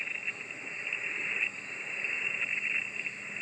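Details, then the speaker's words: Steady hissy crackling in a ham radio receiver on a 49:1 end-fed antenna, appearing once a PowerWorks 12 A solar charge controller starts charging and gone when unplugged; switching noise, fixed with a few turns through a clip-on Mix 31 ferrite core. "So I'm going to plug in the solar controller. It takes a second and you can see the noise right there. You can hear it too. You can hear crackling."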